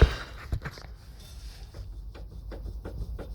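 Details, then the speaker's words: Land Rover Discovery 2 TD5 auto, body rocked: dull, irregular low clunks every half to one second from worn Terra Firma shock absorber bushings, which are to be pressed out and replaced. "Yeah, those bushings are knacked. So I'm going to quickly get this wheel off and have a go at pressing the bearings out and put some new ones in."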